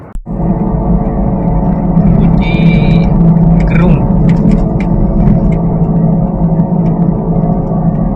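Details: Daihatsu Xenia driving on highway after suspension work, deep steady droning roar like a Twin Otter propeller plane, caused by a worn wheel bearing.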